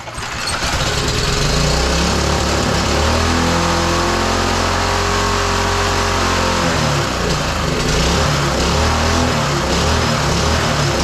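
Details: Roadside-salvaged small single-cylinder lawn mower engine, destined for the Tommy Gun mini bike, started after choke on then off; it runs with a wavering, hunting note that climbs and sags, surging rather than holding steady, before a spark plug change.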